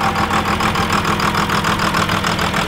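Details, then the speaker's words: Diesel truck engine with lines bled by cranking until fuel came through and it started: steady idle clatter with a faint uneven pulse, starting to sound better; rough idle settling down. "starting to sound a little bit better I'm gonna run it for a couple minutes"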